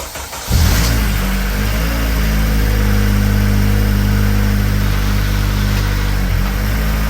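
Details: Honda Civic Si (FA5/FG2, K-series, Mugen) after twin-disc competition clutch install, car on lift: engine catches and settles into a steady, even low idle; earlier metallic banging was traced to the rotors/rotor plate and is now gone.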